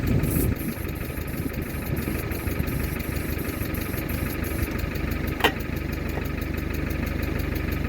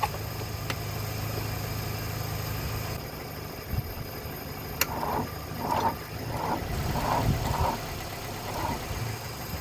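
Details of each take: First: Mercedes W123 300D, 3 L diesel parked 20 years, now running after closing the vacuum switch that had been shutting off the diesel pump. A steady diesel clatter at idle with an even beat and no misses. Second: Mercedes W123 300D, 3 L diesel parked 20 years, cranked after a shot of easy start with the glow plugs working. The starter drags in slow, labored turns that weaken and never catch. The battery is nearly flat and may need charging.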